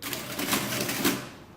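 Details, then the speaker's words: Late-1950s Lagomarsino Totalia printing calculator after repair, printing a remainder: quick run of mechanical clacks with two firm strikes, then clean spin-down; works normally. The motor runs at two speeds, giving lower or higher tones. "I'm not sure if you can hear in the video or not, but this machine actually does run at 2 different speeds. So sometimes it'll be like a lower sound, and sometimes it'll be a higher sound, like higher frequency sound."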